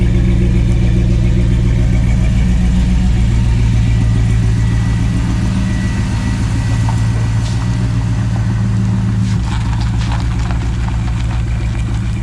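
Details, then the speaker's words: Jeep after its tailpipe and custom exhaust were welded up, first run: a deep, even rumble at fast idle with steady low pulses and no puffing or ticking; the exhaust sounds good with no leaks. "oh yeah sounds really good yeah that sounds great it's got a little bit of a rumble to it but it's not bad yeah I like that doesn't stink the C no it's blowing it all out here yeah I don't hear any leaks"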